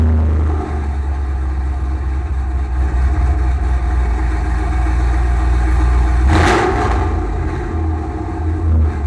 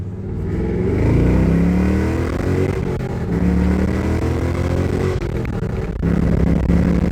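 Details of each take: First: 2006 Pontiac GTO V8 after header and mid-pipe install, cold start: deep, even burble at fast cold idle with one brief throttle blip; smooth rumble, no ticks or leaks; healthy exhaust. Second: 2006 Pontiac GTO with newly installed Pacesetter headers and mid pipes, revved repeatedly: V8 revs up and settles with occasional sharp exhaust pops. Owner says it is running rich and needs a tune to lean it out.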